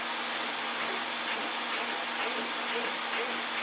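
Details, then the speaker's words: Arrma Senton RC truck after replacing bad stock steering servo with Arrma 25-tooth waterproof servo: even buzzing sweeps about twice a second over steady hiss, no grinding or stutter; steering normally. "Everything steers"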